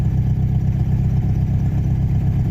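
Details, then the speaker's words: 1986 Jeep Comanche 2.5L four-cylinder, first warm start after idle motor fix (previously misfired cold, suspected cylinder 2): smooth, even low rumble at steady idle with no misses, knocks or hunting; healthy warm idle. "that's idling right where it should like I can tell without a tachometer that's a healthy Idol right"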